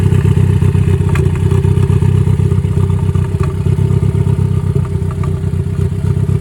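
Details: Ford Focus warming idle, choppy uneven stumbling pulse about four times a second; scan tool shows cylinder three misfire after recent spark plug and fuel injector replacement, timing suspected, cause unconfirmed.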